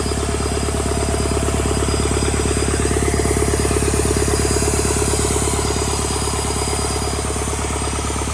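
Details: Rebuilt Doosan D34P diesel for a Bobcat S770 track loader, running test after rebuild: firm, evenly spaced clatter at steady speed with no misses, knocks or hunting; healthy.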